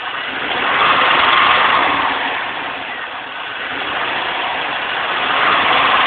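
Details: C5 Corvette V8 revving: busy metallic rattle or tapping above 2000 rpm, hot or cold, with or without engine and AC belts; very pronounced under the intake area; rockers look fine, oil clean, no engine lights or power loss.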